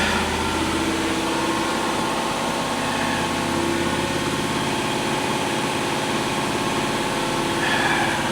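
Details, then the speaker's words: Lexus LS400, owner thinks 1997, brief run with no coolant after the cam sensor wire was pulled away from the belt: the engine settles into a steady, even idle with a smooth low hum and no misses or stumbles. "Really, that's a shame cuz she runs like a top. She really does. She runs really good."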